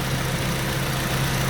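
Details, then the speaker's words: 2006 Ford KA MK1, newly fitted replacement radiator fan assembly after radiator replacement and coolant top-up: the fan comes back on after the engine was stopped, giving a steady, even hum over a smooth idle with no rattle or grind; normal operation. "Right, we just topped up and stopped the engine for a little bit, and then the fan went off. And it's come back on"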